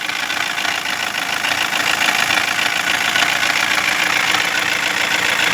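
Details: 2016 Toyota Corolla petrol engine at idle, engine assembly already replaced: fast ticking knock about three to four a second, steady and worsening since yesterday; wiring and connectors checked fine, ECU replacement planned; source unconfirmed.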